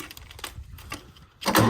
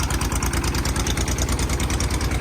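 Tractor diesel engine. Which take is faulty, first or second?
first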